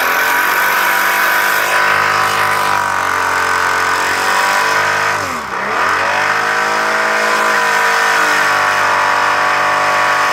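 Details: 1998 Toyota Camry petrol engine at fast idle, blipped twice, with a light, uneven knock under the running note. Rod knock; the engine then threw a rod.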